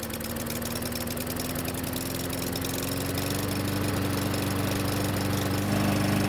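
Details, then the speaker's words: Troy-Bilt mower small single-cylinder engine that wouldn't start, suspected flooded or moisture in cylinder, spun with a drill to start: catches and runs steadily, pitch creeping up slowly; hard starting, slow to reach speed. "after using the drill to get the engine to spin fast enough we finally got it to start and eventually it came to life and even though it was slow to get to Speed it finally got there"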